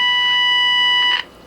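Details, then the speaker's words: Tenma signal tracer injecting a roughly 1 kHz tone into an Elenco AM/FM-108K radio kit: a clean, buzzy tone sounds loud for about a second, then cuts off, showing every stage after the injection point is working. "the first thing I'm going to do is inject a signal at this point and what that tells us is that everything from that point to the right is"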